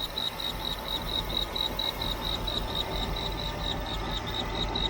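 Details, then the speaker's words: Jeep CJ-7 with aftermarket fuel injection, timing stock 6° being set toward 10–12°, idling: faint high chirp repeating about twice a second over quiet idle; drive belt still squeaking slightly, not addressed yet. "and yes I still have a belt squeaking a little bit but I'm not going to tackle that today"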